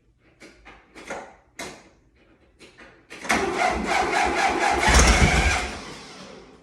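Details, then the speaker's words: 1961 VW Beetle, not run in about 7 years, first start attempt: slow uneven cranking, catches and runs rough briefly on spray then fades; fuel delivery issue, with a bad wire from starter install also found. "Okay, so it's a fuel issue."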